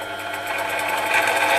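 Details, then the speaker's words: Clarke CMD300 / Sieg X2-type mini mill on the low gearbox range, running forward with the speed turned up: busy high whirr climbing in pitch as the spindle accelerates; the drive is noticeably noisy, cause unknown. "it speeds up I hope you can hear from the sound it sounds really quite noisy I find that very noisy"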